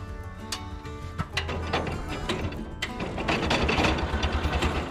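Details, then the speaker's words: International Cub Lowboy 154 after coil, points and condenser replacement: starter churns steadily about three beats a second but engine never fires; cranks without starting because owner forgot to install distributor rotor. "Okay guys, don't make fun of me, but I forgot to put the rotor in."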